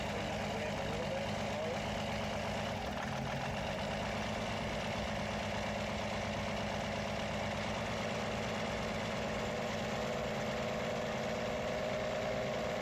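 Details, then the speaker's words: First run of a newly assembled belt reduction drive, not yet tuned: the engine settles into a steady mid-pitched idle with a slightly uneven beat underneath, running but still rough. "so it's still not tuned yet but anyway that seems to be running"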